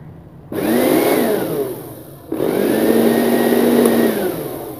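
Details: NOWAKE juicer-blender after its burnt motor was replaced and wired to the speed switch: two short runs of high motor whine spinning up, holding steady, winding down evenly; replacement motor runs cleanly.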